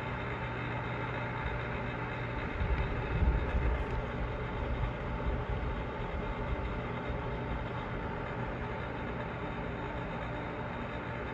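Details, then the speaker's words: Newly installed pool pump and motor, test after priming via the skimmer basket: steady even motor hum with soft rush of water, no knocks or squeals; running smoothly. "Alright, here we go to test the new installation of the pool pump and motor."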